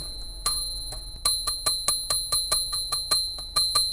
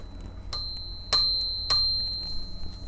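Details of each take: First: Princess 300 typewriter margin bell after an alcohol flush of the pivot points: carriage ratchet ticks with a bell ding that sounds on some throws but not others; striker lacks momentum unless flicked sharply, bell still sticky. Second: Princess 300 typewriter bell mechanism after flushing and loosening the pivots: three crisp, bright dings about half a second apart, ringing cleanly; the bell now strikes freely.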